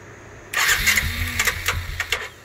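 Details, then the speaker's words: 2012 Suzuki King Quad LT-A400F: cranks and catches roughly but won't idle; rebuilt fuel pump gives only 16–18 psi against a required 43 ±2 psi minimum; low fuel pressure. "about 16 to 18 psi the machine simply won't idle there's not enough pressure"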